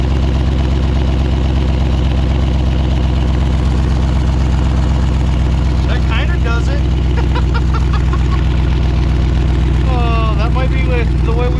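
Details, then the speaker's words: Cat-eye Ford truck idling with its dual exhaust pipe cut off: deep, loud, throbbing low rumble over a steady idle, open exhaust with no muffling. "all right guys so the exhaust is gonna stay like that for a little bit it's got a bit of a rumble"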